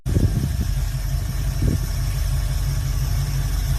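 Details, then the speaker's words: V8 hot rod with a new carburetor, choke set right and a new accelerator cable, on a weak temporary battery: a couple of quick blips, then an even, low, steady, responsive idle with no stumbling; normal idle. "but yeah, this bitch is purring, responsive, everything, idling badass. Choke is golden."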